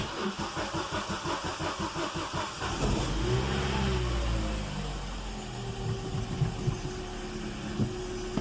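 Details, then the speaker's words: Opel 1.4 Twinport Z14XEP, 236,242 km, first start after throttle body cleaning: cranks briefly, catches cleanly and settles to a steady cold fast idle of about 1100–1200 rpm on choke, no misses or knocks; healthy start. "myśli czekam odpalił strażak ginie No 1100 1200 obrotów pracuje zimny chodzi na ssaniu"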